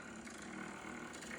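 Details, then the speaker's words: Pottery trimming on a wheel: rough buzzing scrape with fast rattling as the blade, held at 90° to the clay, chatters on a noodle bowl; fix is tilting the tool and slowing the wheel. "You hear the sound right? That is chattering, right? Chattering. Okay, chattering."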